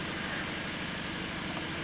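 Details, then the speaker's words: 2019 Hyundai Tucson 1.6T GDI idling: uneven, stumbling, pulsing engine and heavy vibration with audible muffler, after a loud poof while driving; new spark plugs didn't help; no check-engine light and no misfire counts recorded. "Yep, this vehicle is running really rough."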